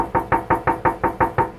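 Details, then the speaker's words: 1990 Nissan 300ZX Z32 that suddenly lost power: a sharp, evenly spaced internal knock about six per second over the running engine, speeding up and slowing with rpm; the cause is not yet found. "When the engine is running, you turn on the ignition, all of a sudden this goes on. And then when you hit the foot, the RPM raises, this noise just does that. You know, speeds up, slows down, depending how the RPM is."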